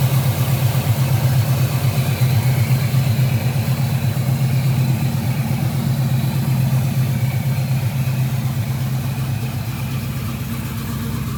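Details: 1976 Chevrolet Camaro V8 idling: steady deep burble at an even idle, about two pulses a second, no ticks or misses, smooth and settled; sounds great.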